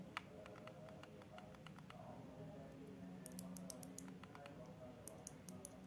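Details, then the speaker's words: Noisy mouse after its original switches were replaced with silent switches bought online; only faint, soft ticks at irregular intervals in a quiet room; mouse buttons now click very quietly after the modification. "Hai dengarkan suara Mouse yang bikin tadi menjadi sangat silent tanpa suara guys dada dengan beton yang tadi"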